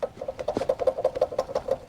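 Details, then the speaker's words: Chevy SSR engine bay: quick light clacking about six times a second as the serpentine belt tensioner pulley is spun by hand; worn bearing with play, tensioner bad. "we've got an idler that's bad or sorry a tensioner I mean that's that's bad tensioner is bad idler's bad"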